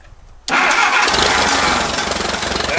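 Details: 1959 Case 300B (311B) tractor, 4-cylinder gas engine, parked outside 10 years, restarted after cleaning the ignition points; catches at once and settles into an even, steady idle with no misses; normal start and idle.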